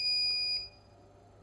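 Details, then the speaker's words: Dead Asus TUF FX506L laptop motherboard with a short on the main power rail from a bad MOSFET; bench supply injecting about 1.4 V beeps, stops, then beeps again about a second later, alarming on the shorted rail. "cuz you can hear the short wants to bend but it's not bending same time."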